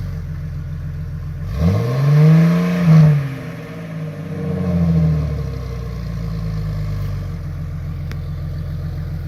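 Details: 2000 Jeep Cherokee XJ, 4.0L straight-six, with the new MBRP stainless cat-back exhaust: it starts, blips twice with a deep, smooth rise and fall, then settles to an even idle. Normal exhaust note.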